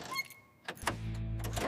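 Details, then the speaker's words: 1975 Mack DM600 concrete mixer, rebuilt Mack diesel's first start after 40+ years abandoned and full restoration: brief starter whir then deep steady healthy drone without stumbling; oil pressure good, temperature stable. "The Mack engine roars to life with a deep, healthy rhythm. Music to our ears."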